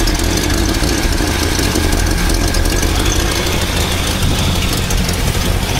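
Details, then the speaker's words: 1970 Chevrolet Nova 400 V8, 4-speed manual, dual exhaust, idling: rapid ticking puff under the deep rumble from an exhaust leak at a gasket down low. "I hear the exhaust leak down there coming from that"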